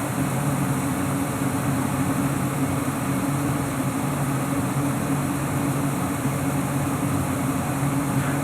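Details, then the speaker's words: Lennox Elite Series furnace, year unknown, with Fasco inducer motor: smooth, steady blower rush with a low even hum and no rattles or scraping; the inducer is very quiet and the furnace runs normally. "yeah I can barely hear this inducer motor right now so it kind of told you just how much quieter this one is compared to others have you probably seen before"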